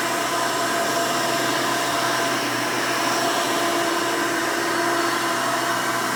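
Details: 1992 Hoover Elite II Total System Performance 650 upright vacuum, model U4689-910, bought used, motor untouched: loud steady high rushing whine, no pulsing, scraping or rattle. Runs very smooth and sounds good.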